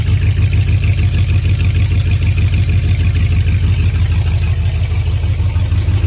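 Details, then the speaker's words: 2003 GMC Yukon Denali 6.0L LS V8, destined for a Chevy K20 swap, with no exhaust and cats removed, idling and revving: loud, deep, throaty burble with steady lumpy pulses and no knocks or ticks; healthy. "I'm curious what the 6.0 sounds like with no exhaust. A lot more throatier."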